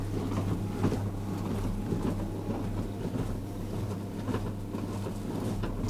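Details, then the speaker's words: Hotpoint Empress vintage single-tub washing machine with mangle and no spin, element tripping the RCD, running a test wash: steady low motor hum with soft rhythmic sloshing, some subdued splashing, no knocks or grinding; agitation normal. "nice it's quite good like that you could leave it and go off and do something else there's something very satisfying about this it does let out some splash is but it seems quite subdued"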